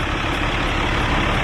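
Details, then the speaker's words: 2008 Ram 5500 (third gen) with 6.7 Cummins and Aisin transmission, started after swapping in all six injectors on the replacement engine: steady, even diesel rumble, super quiet, no knocks or misses; normal idle. "so now we have a running driving i believe and yes this is a 2008 with an ison transmission so this thing is an absolute unit you guys can see under here it's super quiet"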